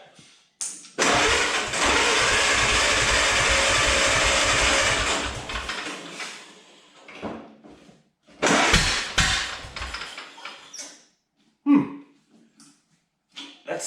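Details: 1929 Ford Model A, first start attempt: long crank with uneven chuffing, brief ragged firing that dies away and sputters again. Rough sputtering start; owner suspects weak or intermittent spark.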